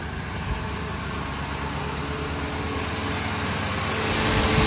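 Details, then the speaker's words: 2000 Ford F150 5.4 Triton V8 just after new spark plugs and coil packs, battery had been disconnected: even, smooth idle with a steady low rumble and no stumbles or misses; running cleanly. "Sounds like we're running pretty good."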